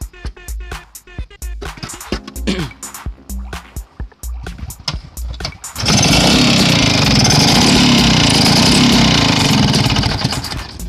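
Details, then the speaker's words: Vespa PX two-stroke scooter running before teardown: harsh, rattly clatter ("kemerasak") over the exhaust note; mechanic confident the fault is the piston or piston rings. "bunyi seperti itu, kemerasak, bro. Nah, kita nggak hanya cukup menganalisa saja, kita menganalisa itu sebenarnya tidak cukup. Langkah kita langsung bongkar saja, saya yakin di sini ini masalah kalau nggak di piston sama ring pistonnya."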